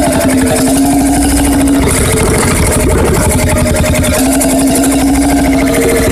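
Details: Freris-built Syros 1950-55 two-stroke 12 hp single-cylinder diesel, wick-started, restored 2014 after about 40 years idle: steady, even thumping with constant hum, no misses or knocks; running sound.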